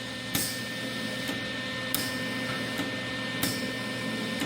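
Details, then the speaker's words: Lincoln Electric Weld-Pak 125 HD converted from flux core to MIG with an added 12V brass solenoid valve: sharp clicks about once a second over a steady hiss of gas flow as the trigger is pulled. The gas solenoid is working normally. "There we go. I hope you can hear that relay clicking."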